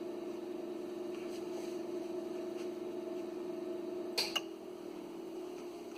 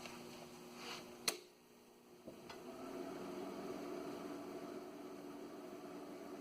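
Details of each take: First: Original cooling fan in an Ameritron ALS-600 amplifier power supply, before replacement with a Noctua fan: a steady droning hum until a couple of clicks, then winding down; the original fan is noisy. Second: ALS 600 amplifier power supply (built late 1990s) after replacing the noisy, roughly 20-year-old fan with a Noctua NF-A8 PWM: after a couple of clicks, a low, steady, very quiet fan hum. The fan is running normally.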